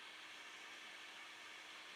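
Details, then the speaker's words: 3D printer during G-code shutdown sequence after short test print: bed turned off, cooling fan commanded full blast before relay power-down; steady airy rush with no rattle or pitch wobble, fan spinning flat out and running cleanly. "so our shutdown in g-code has started you can see it set it to 50 it turned the bed off the fan is full blast"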